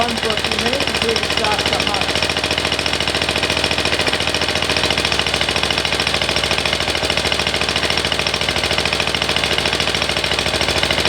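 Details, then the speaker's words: MTD ride-on mower single-cylinder engine after carburetor rebuild fixing a surging problem, idle brought up slightly; fast, even beat holding steady without surging, faint occasional miss it has always had. Steady running, surging fixed. "Right, so it's got a tiny little bit of a mess, but it's always had that. I think that's that fixed."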